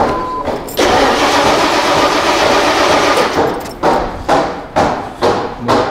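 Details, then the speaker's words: Lincoln Town Car with Ford EEC-IV, fuel pressure gauge fitted: steady starter cranking and repeated short crank bursts, never fires; crank-no-start from zero fuel pressure. "no fuel pressure so there's a few things that can cause no fuel pressure"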